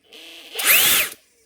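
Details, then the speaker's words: Drill in forward at full speed gives a brief very high screaming whine, far too fast, with instant heat. It runs at correct speed in reverse. Suspected damaged Hall effect sensor, switch or controller; motor overspeed, unconfirmed. "That is running so fast. How does it even do that? Yeah, instant heat."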